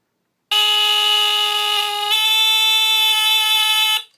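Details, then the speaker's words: 1977 Sears Early One 350.57046 smoke detector (Fyrnetics F-900D rebrand with heat sensor), Kobishi CLB-27 brass squealer horn, test button: very low-pitched, loud raspy buzzing that sometimes shifts pitch partway through; cause unknown. "then sometimes it'll change pitch like that I don't know why it does that yeah kind of raspy sounding I kinda I do like the sound of it though really unique sound"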